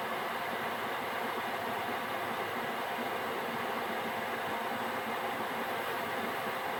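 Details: Gearlasso 8kW 12V/24V Chinese diesel heater after app switch-off from manual mode, in CLP residual-oil burn-off cool-down: steady airy fan whoosh, no pump clicking or burner roar, running a couple of minutes before standby; normal cool-down fan run.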